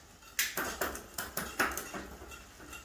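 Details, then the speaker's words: Bicycle rear derailleur after fitting a new inner gear cable and adding tension at the barrel adjuster (about four turns): a quick run of crisp clicks as the chain steps across the sprockets while the wheel spins, each shift landing cleanly at the sweet spot. "there you go and that shifted and that seems to be the sweet spot"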